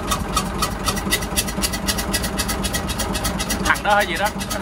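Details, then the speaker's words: Hyundai 6D16 diesel engine on a boat, suddenly started making a "xẹt xẹt" noise while running; when cranked it blows out a lot of air; sharp puffing tick about four times a second over idle; combustion gas escaping past blown head gasket. "mà mà nó nó đề máy thì nó sôi tiếng thì [âm nhạc] thổi ra cái gió quá trời luôn"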